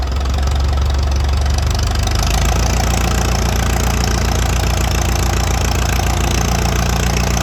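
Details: International Harvester 806 diesel tractor, first fire-up after rebuild: deep diesel throb catches and settles into a steady, even idle with no knocks or misses; engine running normally.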